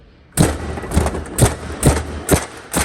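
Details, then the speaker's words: Toyota Hilux CRDI diesel with P0093 crank-no-start, injector on a pop tester: sharp hissing pops about twice a second as it sprays without any electrical command and won't hold pressure, a faulty leaking injector. "كيف البخاخ عنا قاعد يطلق او يفتح بدون ما يوصله امر كهرباء"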